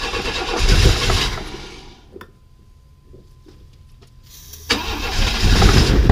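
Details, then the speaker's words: 1995 Chevy S10 Blazer, 4.3L Vortec V6, on a cold 32° morning: it cranks, catches with a loud rough burst, dies and roars again, spitting back on too much starting fluid. It has no fuel system hooked up yet. "let's try this again I won't spray so much this time I won't over feed the dragon"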